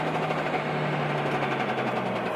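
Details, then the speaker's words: Cummins diesel in a Mega Cab dually: steady run with a quick, random sewing-machine-like tapping on top even at constant speed; something loose, cause unknown, owner wonders about a bent part or a wrist pin. "I can hear it just randomly tapping like it's so random man I I really I don't even know how to explain it"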